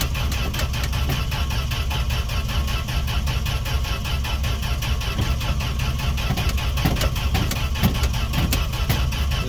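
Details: Fargo D100 (Dodge D100) pickup cold start after sitting all winter, gas poured down carb throat, choke on: slow uneven cranking rumble, never runs; owner suspects no spark, plans to check spark.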